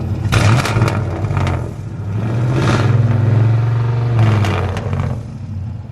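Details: Cammed LS-swapped 1968 GMC truck in for wiring and tuning, given a little gas: choppy idle rises into a strong even rev and settles back, no knocks or misses.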